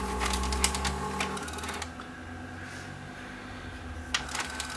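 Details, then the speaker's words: Panasonic PV-4361 VHS VCR in rewind: tape mechanism whirs with rapid uneven ticking and rattling, roughly three clicks a second; noisy rewind, cause not yet found; machine also probably won't fast-forward and its picture shakes. "okay it's gonna play if I try to go into rewind whoa we're going to rewind okay it's gonna rewind noisy I think there's two problems with this machine"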